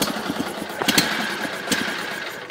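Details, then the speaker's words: 1974 Sears Suburban SS16 tractor twin, cold start: uneven stumbling firing with sputters and misses, a little flooded, then smoothing on choke while still cold; flooded engine running rough. "a little bit floody there oh [Applause] choke there we go that sounds normal now still cold of course"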